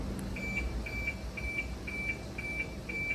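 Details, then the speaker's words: Aftermarket OEM-style chime on a Mitsubishi Lancer EX with newly installed push-start/remote-start system: clear high electronic chime pulsing about twice a second, even and steady over a quiet cabin; normal chime operation. "Yan yung tunog niya. Okay. So parang sa mga top of the lines na kotse ngayon."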